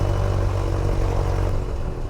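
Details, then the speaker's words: Light airplane piston engine just after a flooded start: a steady, even low drone at about 1,000 RPM with 60 PSI oil pressure, no misses or knocks. Fuel pressure reads near nothing. "Oh, there we go. All right, 60 PSI on the oil. Woo! 1,000 RPM."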